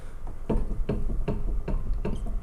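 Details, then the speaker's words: Car on a ramp, near-side rear wheel rocked by hand: dull clunks about twice a second showing excessive play; worn wheel bearing needing replacement; extra brake dust suggests possible brake bind. "you reckon that needs a new wheel bearing I'm so surprised that's hanging on I don't know how anyone's been driving this car with the wheel as bad as that"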